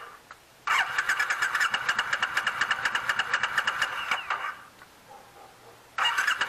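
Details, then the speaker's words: 2006 Triumph Scrambler, first start attempt since 2017 storage after carb reinstall: the starter turns the engine steadily and fast but it never fires. The carbs have fuel, and it still won't fire even with ether. "the carbs have fuel in them um it's just not firing sprayed some ether into it still no fire"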